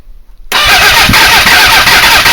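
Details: Suzuki GSX-R400 cranks at a fast, even beat but never fires, even with the throttle opened a bit; ignition is timed about 5–6° BTDC with a CDI box. Owner suspects ignition timing or the trigger and may swap the trigger.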